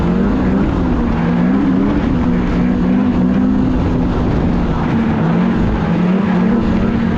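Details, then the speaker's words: 2016 Polaris Indy 600 SP two-stroke snowmobile after plugged fuel filter fix and new Ultimax belt, grass dragging without snow: steady high-revving howl holding pitch at full throttle, no bogging or slipping, hitting needed rpm; normal running. "the sled's pulling hard you know that belt's working great you know she's running good"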